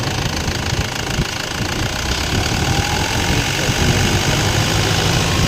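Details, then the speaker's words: Toyota Land Cruiser Prado idling after replacement of the noisy, non-charging alternator assembly: steady, even idle with no whine or rattle; charging normal at about 14 volts, noise gone, battery light off, aircon cold. Normal idle. "Alam mo sir, good na yung battery. Wala nang ingay."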